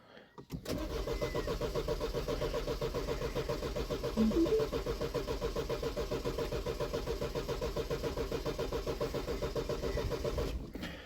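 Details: 2009 Mini Cooper R56 (stated as 1.4 and as 1.6 litre), about 50k, plugs cleaned: even starter cranking for about ten seconds without firing; codes showed inlet and exhaust camshaft sensor faults, and it started after both sensors were replaced.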